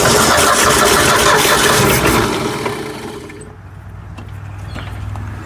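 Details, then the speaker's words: Forgotten Ford F100 whose motor was previously locked up, now fed fuel from its tank through an old filter to the carburetor: fast cranking catches with a few ragged firing pulses, then fades out. The engine fires but will not keep running. "ah so close so much better than it was though yeah I think it's going to run"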